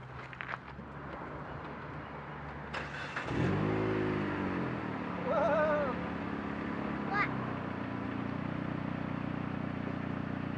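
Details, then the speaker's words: Car after a homemade muffler repair: engine catches into a steady low drone, revs rise once and fall back smoothly with no rasp or leak; exhaust sounds sealed and quiet. "alright this would be sound test with the muffler fix in place maybe I'll try and put these clips side by side"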